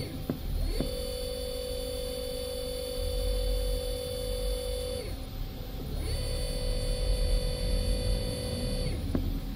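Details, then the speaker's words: CNC router servo motor on T3D-series driver (HL-T3D-L20A-RABF), jogged at 3000 RPM with a bowl of water on it to show vibration; clean steady whine rises, holds, winds down twice, water stays still, no knock; normal servo running. "A água não tem nenhuma vibração, pessoal. É muito, muito, muito top mesmo."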